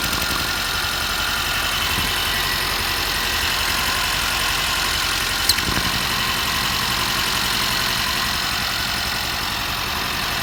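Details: 2022 Mercedes Sprinter M274, 237,000 km: lumpy idle with irregular stumble and breathy crankcase hiss; cylinder 3 misfires with low compression (90-120 cold, 60-90 warm vs 140-150 others) despite good spark, heavy blow-by.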